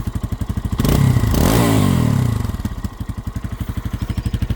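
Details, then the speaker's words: Lifan KPX 250 dual-sport motorcycle single-cylinder idling after idle set screw adjustment (throttle blade not drilled); even low thumping about four beats a second, smooth throttle blip back to steady quiet idle; normal idle. "I stopped short of drilling any holes in the throttle blade, but I was able with the set screw to get it to idle. So, it's quiet, too."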